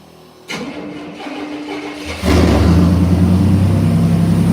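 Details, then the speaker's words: 1968 Chevrolet C10 with 77,000 miles: cranks about two seconds, catches, then settles into a loud, deep open rumble at idle because the exhaust pipe was cut off with no muffler; otherwise runs great. "I can crank it right now, and she's loud as sin. And the reason why she's loud is because the exhaust pipe ends right here. I cut it."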